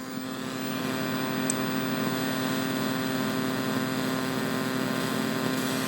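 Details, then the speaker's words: Midway Wolf Unit arcade board, Mortal Kombat 3 revision 1.0: steady low hum with hiss and faint buzzing under the game audio, worse while the game runs than at ROM check. Audio amplifier static traced to a faulty op amp. "there's a noticeable interference and noise in the background of the audio now if I skip past the ROM check here it's even more noticeable when the game is running"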